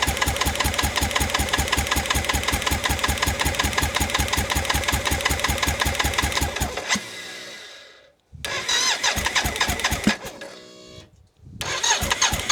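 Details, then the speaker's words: BMW K75 cafe racer custom, first start attempts after ignition rewiring, fuel at pressure, plenum top not closed: extended steady starter churning about two and a half beats a second for seven seconds, then short stabs, never catches. Owner suspects air intake or low fuel. "running low on fuel maybe so so okay gonna have to think about it some more"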